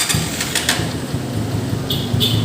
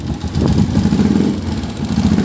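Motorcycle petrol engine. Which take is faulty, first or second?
second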